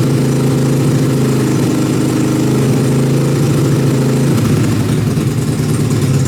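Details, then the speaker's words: Dune buggy first started after months stored outside under a tarp: steady, fairly fast putter with no misses; runs fine, but the idle is high and needs turning down. "okay it sounds like I need to turn the idle down a little bit but it actually still runs"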